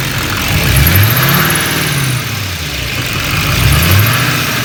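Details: LML diesel running: a high, thin chirp returns in short bursts every few seconds over the engine rumble; origin unclear.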